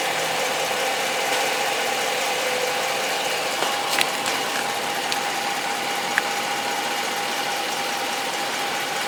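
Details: 2013 Hemi V8 at idle: hissy, uneven ticking clatter with an occasional sharper tap; abnormal engine noise, cause unclear.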